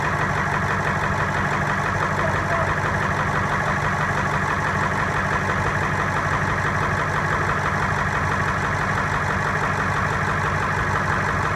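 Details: Ford 7.3 Powerstroke diesel, hard starting after injector O-ring replacement, heads needing to repressurize: loud steady clatter with uneven beat about three a second; running rough, cause unconfirmed.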